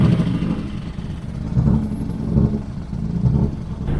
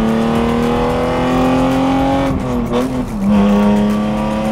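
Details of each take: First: BMW E36 driving home after a spinning event: uneven idle stumbling about every second with lopsided low thumps instead of a steady hum; rough idle, misfiring badly, cause unknown. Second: BMW E36 with M52B28 straight-six on a straight pipe exhaust, running after being out of commission: loud, raw, steady drone rising and dipping smoothly with throttle, normal healthy running.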